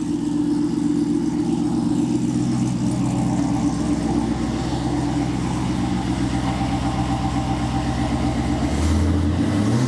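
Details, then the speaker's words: 1986 Pontiac Trans Am LT swap, startup idle after replacing the catalytic converter with a test pipe: loud deep V8 burble with a raspy edge; better tone, exhaust leak seems gone, but still more rasp than wanted. "all right it's definitely better it's not as quiet it still has a little more rasp than I would like but I mean it's better"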